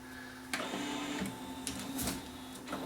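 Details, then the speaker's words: JVC XL-M307 CD changer whose single-disc tray jams and won't load: a thin motor whine under irregular clacks as the tray strains with very little torque and stalls. Slipping loading belt; a belt replacement is needed. "okay yeah there's no yeah there's it's very very little torque so it's going to be a it's going to be a belt"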